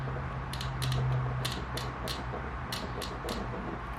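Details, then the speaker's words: Dirt bike/ATV fuel injector removed and bench-tested by tapping the positive battery lead on; sharp, light clicks in irregular bursts over a low hum, fuel spraying out — injector clicking normally, working. "if you can't hear that I do hear and see stuff is coming out of the injector so it's working"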